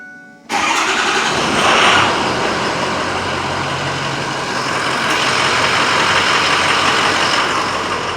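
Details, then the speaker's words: 2007 Ford F250 6.0 Power Stroke diesel, which had been idling rough, cold-started after sitting overnight the day after a Seafoam treatment: brief crank, catches and settles into an even idle with no stumble or miss; normal cold start. "So we're gonna see what happens here. Let's listen to it. Sounds good."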